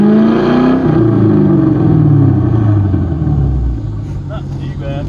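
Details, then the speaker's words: 1995 Ford Thunderbird LX after a misfire with lost power and fuel smell, spark issue fixed: engine revs up and settles smoothly with only a slight usual hiccup, sounding healthy while warming to operating temperature. It still cuts out under harder throttle. "that sounds normal i don't hear any hiccups yeah there was a slight hiccup but it it always does that"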